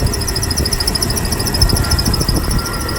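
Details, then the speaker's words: 1998 Jeep Wrangler TJ idling: rapid high-pitched squeaking chirps from the worn distributor assembly, persisting with belt removed; belt, pulleys and accessories ruled out; temporary fix before replacement. "hear it it's like a squeaking sound or what that is is actually it took me a while to discover this the distributor that whole distributor assembly"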